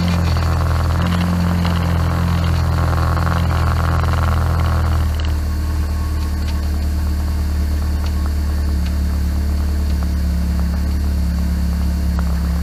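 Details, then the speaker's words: Classic Mini idling after the 3-bar Bosch electric fuel pump, rubber-mounted and noisy since new, was replaced: a smooth, steady low idle with an even rumble and no pump ticking or buzzing. Fuel pump now about ten times quieter; normal. "Wow well that's like 10 times quieter so I'm well pleased with that that's been noisy since day one so take it the pumps never been quite right from new"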